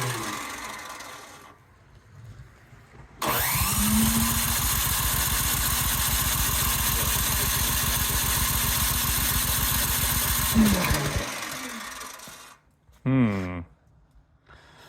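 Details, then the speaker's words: Cub Cadet 528 snowblower, electric start, choke on, primed several times: about eight seconds of steady cranking, roughly four turns a second, never fires; carburetor jet suspected plugged. "interesting. I wonder if my uh jet also is plugged up on the carburetor. Although it should still start with priming H."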